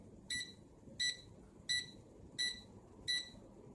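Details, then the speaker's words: UWING U12S RC mini helicopter transmitter: steady high double-tone beeps repeating about every 0.7 seconds over quiet background, the remote's low battery alarm warning that the battery is going to die. "See, it's telling me the battery's going to die. Yes, yes, I know."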